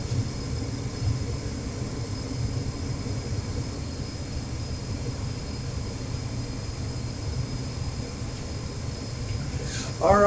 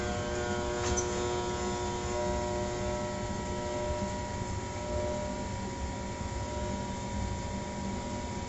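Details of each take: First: Trane XR80 gas furnace reassembled, being tested for the earlier overheat fault: an even, low whooshing hum with no knocks, rattles or rising whine; the fan runs normally. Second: Trane XR80 gas furnace under troubleshooting, lower panel open: a steady electrical hum with no rising whoosh of the fan spinning up; the blower motor is trying but failing to start, while the rest of the unit runs until it shuts down.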